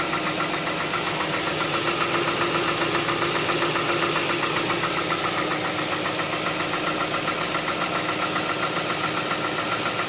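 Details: 2007 Hyundai Tucson 2.0 16v GLS, cold start in the morning: quick even ticking roughly four per second over idle, disappearing after about 10 km of driving; mechanic suspects hydraulic lifters, owner unsure; ticking on cold start.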